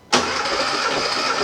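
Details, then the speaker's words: 1978 Porsche 911 SC flat-six, rebuilt about 15 years ago with cams and raised compression, cranking compression test via spark plug hole: steady, even cranking whir; cylinder 2 reads 140 psi, bleeding down slightly, healthy. "same thing 140 is actually bleeding down a little bit just from the probably from the hose and everything but that's good so 2 is 140."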